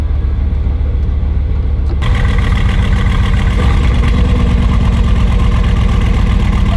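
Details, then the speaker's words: Repossessed Bugatti Veyron after fault codes were erased, engine light flashing and transmission light on: lumpy uneven idle with a stumbling exhaust beat; misfire with a cylinder 8 no-signal (ion current) fault, possibly the coil pack, not confirmed. "Yeah, it doesn't sound good back there. And now when I scan the faults again, I can see the misfire issue. Cylinder 8, no signal."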